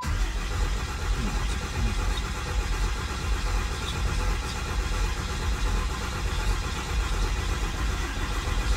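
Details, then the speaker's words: 1500hp Cummins diesel build, freshly installed, dry crank with transmission in neutral: even, steady starter cranking with a low churning drone and no firing, engine spinning freely; second crank brought good oil pressure. Normal cranking. "i know we started and stopped the camera but that legit was the second time we cranked it we got good oil pressure"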